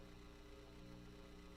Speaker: Now you can hear the hum went away. That's the BE. That's that amplifier. That's just amp hum.